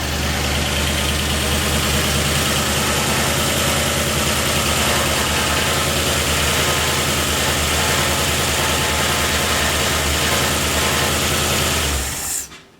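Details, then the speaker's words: Ford 302 with a new cam, just installed, no radiator fitted, after correcting a distributor installed 180° out: it catches and settles into an even, steady idle. Oil pressure reached 50 psi while cranking, and it sounds healthy. "So much better."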